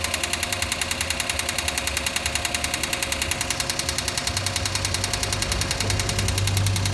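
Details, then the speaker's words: Engine with abnormal noise, idling after adding Motor Up oil additive: sharp, steady knocking about three times a second from the lower engine, persisting; owner suspects a failed bearing, additive didn't help. "アイドリングアイドリング簡単いっちゃってんじゃん。多分これメタルねえぜ、きっと俺は。"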